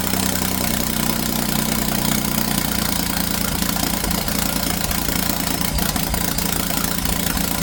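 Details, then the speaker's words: 2011-2016 Ford F-150 3.5L EcoBoost after BD Diesel exhaust manifold replacement, exhaust pipes off; loud deep steady open-pipe idle with throaty bark, no knock, coolant burning off, turbo whistle audible; normal idle. "So let's going to start it up. I don't have the exhaust on it here, so you'll get a good deep tone from the exhaust."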